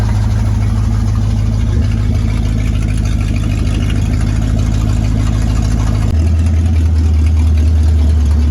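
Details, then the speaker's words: 1966 Ford Mustang 289 V8 automatic barn find, sat 46 years, on original tank and fuel pump with new carburetor, plug wires and battery: deep even burble, dropping to a lower steady idle after idle screw adjusted; healthy. "But other than that, it's running pretty good for sitting for 46 years. It's pretty amazing sitting here idling."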